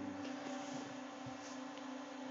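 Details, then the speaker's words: HP ProLiant 360 server, plugged in on standby, not powered on: steady airy whoosh with a thin constant hum, no surging or ticking; fans surprisingly loud for its size but running normally. "can hear it and thing is it's not even on this thing gets really loud actually considering how small it is it's pretty surprising"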